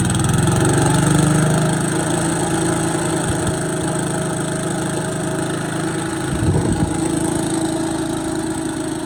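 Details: Boland's 3.5 chipper shredder, unused for at least 20 years, running on its own gas tank without starting fluid, fuel line dripping slightly: small single holds a steady, even run with no misfire or surging, a buzzy low note under chipper rattle; running normally.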